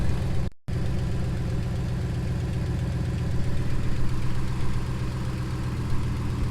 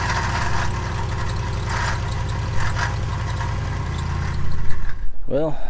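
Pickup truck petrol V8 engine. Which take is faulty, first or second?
second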